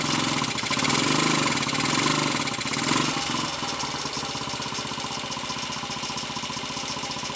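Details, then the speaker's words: Royal Enfield 250 five-speed, third gear badly worn and jumping out under load, other gears fine; in fifth, single cylinder revs up under load then eases to steady regular thump, no jumping or grinding: normal running in fifth gear. "We can load up fourth gear, okay? That's fifth. Right, that's fifth."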